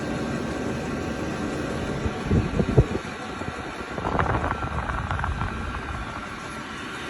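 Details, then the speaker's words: Vevor 12 V, 5 kW diesel heater running at full output, exhaust still indoors (outside it would likely sound like a box fan or quieter): a low, steady fan-like rumble with a few handling bumps; healthy normal running. "This one here, if that exhaust was outside, which I'll do here in a little bit, if that exhaust was outside, this would probably just sound like a box fan, if it would even sound that loud."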